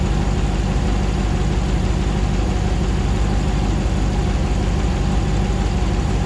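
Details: 2009 Hemi 1500 TRX4 auction truck, first start after months of rebuilding, about 87 psi oil pressure: steady, even low rumble, no misses, knocks or hunting, smooth V8 idle while warming up, no longer jerking like before; normal idle.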